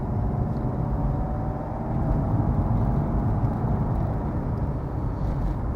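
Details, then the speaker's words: Mercedes 190 2.5 diesel automatic on road test uphill: steady low diesel drone, no rev flare or surge, no slipping and a good gear change; gearbox healthy. "Well, it didn't slip going up the hill, so that's a good start. Actually, a really good gear change."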